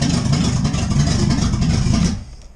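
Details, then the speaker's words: C4 Corvette V8, first start after carburettor swap on open headers, timing adjusted, off throttle: weak, uneven idle that fades and nearly stalls; barely holding idle, seemingly still running too rich and needing tuning. "That's all the way off the gas. It's running on her own, barely, but that's the start."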